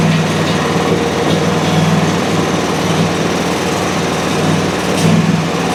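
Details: Country Clipper Challenger 52-inch zero-turn mower that had been hard to turn over, found about half a quart low on oil, battery boosted, carb cleaner added: steady even idle, consistent low thrum, no knocks or misses. Normal running.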